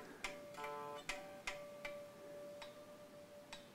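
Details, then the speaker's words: Epiphone ES339 with older plastic nut, played through amp: sharp metallic pings over a ringing note as the string catches in the nut slot, hindering movement and causing it to go out of tune. "that pinging sound was the string getting caught in the uh whatever that thing is nut and it makes it very difficult to um it will stop it from moving through the nut properly and it will cause it to go out of tune"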